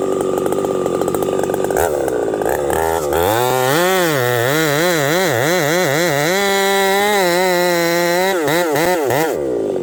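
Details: Husqvarna 371xp chainsaw with pop-up piston and 28-inch bar, hot day about 35°C: screams with wavering, surging pitch during an underbuck, then hangs high instead of returning to idle; lean running, carburetor or dirt in it suspected.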